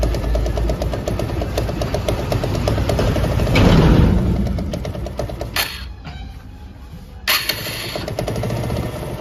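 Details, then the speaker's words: TVS Apache RTR 160 BS4 single-cylinder at idle: rough clattery rattle that fades as revs rise and returns at idle, traced to a loose gearshift shaft bolt; bike also emits white smoke. "जैसे मैं race बढ़ाता हूं तो आवाज कम हो जाती है और रेस छोड़ते ही आवाज बढ़ जाती है"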